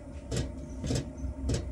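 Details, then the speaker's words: Chinese 12 V 5 kW diesel heater running, mic about six inches away: sharp regular ticks about every 0.6 seconds over a low hum, the fuel dosing pump vibrating loudly on the case. "it vibrating on the case so the idea is i want to insulate this uh with rubber and inside and get the pump out of here put it into here and see how quiet i can actually make this diesel heater"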